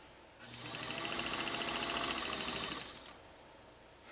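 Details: Pfaff 230 sewing machine, straight stitch through two layers of roughly eight-ounce leather suede: quick steady stitching about three to four per second, smooth and even, no knocks, normal running.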